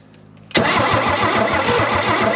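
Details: 1968 Chevy Biscayne barn find, off the road 35+ years, points just cleaned: steady starter churn with even compression beats but no firing; cranks but won't start. Spark confirmed afterwards, cause not confirmed.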